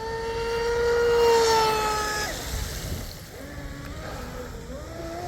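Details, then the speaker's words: Dominator RC boat, rebuilt TP Power 4060 motor, highly modified ABC 1916 prop: high electric whine sweeps past with pitch sagging rather than climbing, motor bogging under load; owner suspects too much prop. "Might be too much prop, boys. Still sounds like it's loading up."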